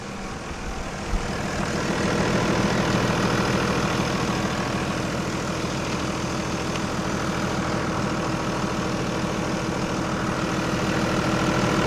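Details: Cummins 5.9 24-valve diesel idling after bleeding air from the injectors on a no-start truck: even, steady idle with a smooth regular beat and no misses, knocks or hunting; running normally.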